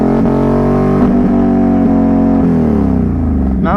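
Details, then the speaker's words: 2021 Can-Am Renegade 1000 XMR in diff lock in thick mud, tone dropping out in sharp gaps about once a second; owner suspects brand-new spark plug boot, plans to order whole cable assembly; misfire cutting out, unconfirmed. "that's definitely a spark plug [Music] boot yep I guess we'll have to be uh ordering that whole cable assembly"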